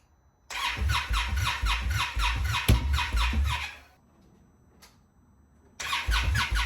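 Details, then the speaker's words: Fuel-injected Indian Scout Bobber with a cold-start problem: starter cranks in fast even bursts of about two per second, but the engine never catches, only the top cylinder firing occasionally; about 15 attempts drained the battery. "it's so close dude it's that top cylinder just once a while fires"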